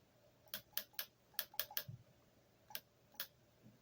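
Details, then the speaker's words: Bench test of a rebuilt transmission valve body for a Rabbit, solenoid fed from a weakly charged 12 V hobby battery. Dry ticks come in an uneven cluster, then two lone clicks, slightly slow. Owner guesses fluid inside the solenoid is the cause. "This one sounds a little, I don't know, slower maybe, but there may be fluid in there, so that's probably why."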